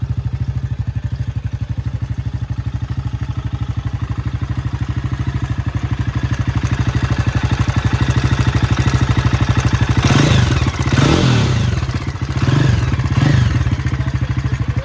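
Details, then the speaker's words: Jawa 42 motorcycle with two bend pipes running straight from the engine to the exhaust, low mileage: a light metallic clatter ticks steadily at idle, about three per second, and persists through throttle blips; a major engine noise of unknown source, not unique to this bike. "इस बाइक की जो engine sound problem है सुन सकते हैं।"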